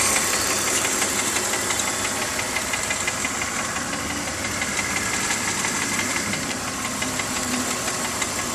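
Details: BMW E46 325Ci with M54 engine, warm, ticking only at idle at the front of the engine: fast, light, even tick about three per second over smooth idle; cause not pinned down.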